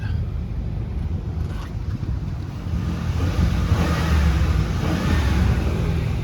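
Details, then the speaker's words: 2008 Ford Expedition Eddie Bauer with 197,000 miles at idle: a smooth, even V8 rumble holds steady with no lifter tick or cam phaser racket; normal, healthy idle. "Not a piece of junk like some of these are. I mean, got no lifter tick or cam phaser racket or nothing. This thing sounds really, really good."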